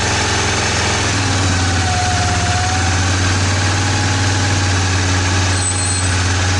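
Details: 2002 Suzuki Vinson 500 ATV, test start before the airbox is refitted, after cleaning the carburetor (idle circuit believed plugged) and replacing the fuel shutoff valve: a deep, even single-cylinder thump holds a steady idle with no hunting or stumbling.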